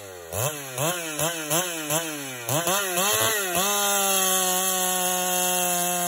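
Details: Husqvarna 395XP chainsaw with known piston slap: blips up and down in quick bursts, then holds a steady high scream through the cut; pulls hard despite the piston slap.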